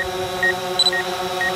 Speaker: So you hear that beeping, that's it saying, hey, I'm gonna hit something.